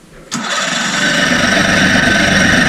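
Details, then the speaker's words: Mercury 50 two-stroke outboard (model 1050412FD) that idled rough and stalled, fixed with a new fuel filter and resealed airbox, tested in water: catches instantly and settles into a steady, even buzzing idle with no misses or stumbling. "She runs. That's an idle. Fuel filter, baby."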